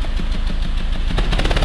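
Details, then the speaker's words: Peugeot 206 three-cylinder revved: rough running broken by sharp irregular bangs, explosions in the catalytic converter up front. Fuel is arriving but not burning in one cylinder; spark plug or coil blamed, not the injectors. Misfire causing exhaust popping. "o motor o yuri todos esses touros são explosões no catalisador lá na frente dá para ouvir mais alto acelera aí ó ao estouro viu"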